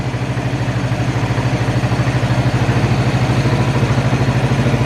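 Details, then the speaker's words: Abandoned ATV after cleaning the fuel tank, blowing out and replacing fuel lines, carb untouched: fires right up into a steady, even single-cylinder idle with regular firing and no misses; inline fuel filter still needed. "Fuel shutoff works now, and check this out. Like, I didn't even pull the carb off or anything on this thing. Fired right up and idles."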